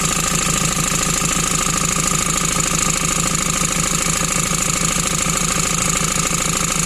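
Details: 2008 Ford Transit Mk7 2.4 Puma diesel at idle: a regular knock of about 200 per minute tied to engine speed, first blamed on the AC compressor. The cause was a bad crankshaft pulley, probably ruined by a bad alternator pulley.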